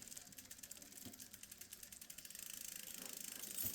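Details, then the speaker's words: Cannondale bicycle on a stand after shortening the chain and adjusting the derailleur: pedals spun through the gears give a light, even chain ticking with no rubbing. The drivetrain runs smooth. "It's pretty smooth."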